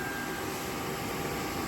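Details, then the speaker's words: GX470 AC condenser fan swapped into a V8 4th-gen Toyota 4Runner, fused to run with ignition on: steady even air rush with faint hum, relatively quiet, no rubbing or ticking; normal operation. "clearing quite a bit of air um not super loud at all actually it's relatively quiet but clearing that air which is nice"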